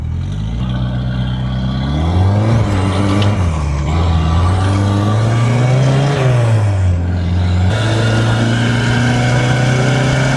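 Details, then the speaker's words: Turbocharged 1969 MG MGB with Mazda CX-7 K04 turbo, wastegate stuck shut, possibly low-octane fuel, plugs not yet gapped; under boost the engine stumbles and sputters, suspected lost cylinder; coolant smoke afterward, owner suspects boost leak or something blew. "That does not sound good. She is not liking this. Sounds like it's like misfiring a little bit."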